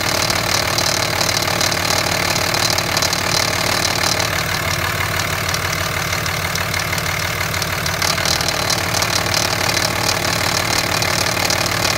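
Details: 2005 Cummins 5.9 diesel at idle: loose metallic rattle, roughly three beats a second, with a gritty grind riding over the clatter; cause unknown.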